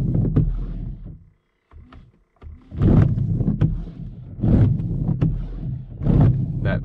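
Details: Car windscreen wipers chattering: rough juddering rasp and squeak on each sweep, about every second and a half, as blades grip the glass too much; fixed by applying coconut oil.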